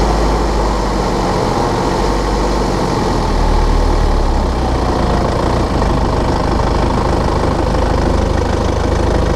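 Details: 2013 BMW 520d F10/F11 N47 diesel, cold and under load at 1500 rpm: loud, rough, uneven metallic rattle/ticking through the clatter; faulty injector, pinpointed with ISTA test.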